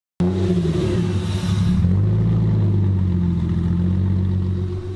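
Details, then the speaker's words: Porsche Boxster after repairs (mass airflow sensor code being addressed): the engine settles into a steady, even low idle on its own with no hunting or stumbling, and it sounds healthy. "right well now it's idling so that's cool on its own right yeah nice"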